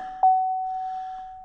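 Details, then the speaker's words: Chevrolet Silverado with the hood open during cleaning: a single clear chime that fades, the normal hood-open warning. "you can hear it chirping at me I got clean do some cleaning I going try the new thing here but we'll go yeah I know Hood's open"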